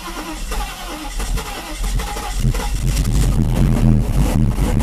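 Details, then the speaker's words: Mercedes with repaired fuel distributor (3 of 8 cylinders had no fuel, glue removed, diaphragm replaced) after richening the mixture: uneven cranking builds into firing, then a continuous rising run; engine starts and runs really nice. "all right that's how it runs runs really nice actually"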